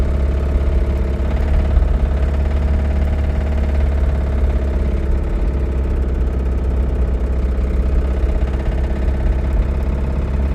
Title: Limped my Rod Knock Camry Home!